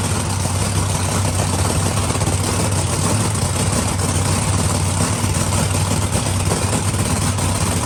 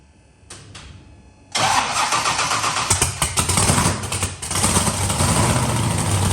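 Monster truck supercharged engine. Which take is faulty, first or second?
second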